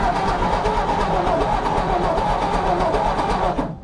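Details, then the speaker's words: 1954 Ford F250 truck rescued from the crusher, with the choke cable stuck: churning crank for about 3.5 seconds that sounds like it wants to start but never fires; cranks but won't start. "Alright, contact. No? Sounded like you want to start."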